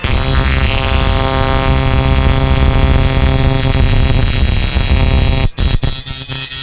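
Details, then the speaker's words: Samus Blue 858M amplifier after repair: capacitor changed to 4.75 uF, resistor to 20K, shorted burnt MOSFET removed, capacitors matched at 100; test tone loud steady harsh-edged buzz at full volume, briefly cutting in and out; driving cleanly at maximum. "Testing natin. Ganito yung tunog niya ngayon. Yan, lakas."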